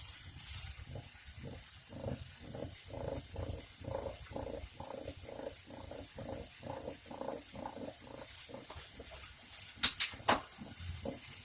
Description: When cycling there's a constant rumble.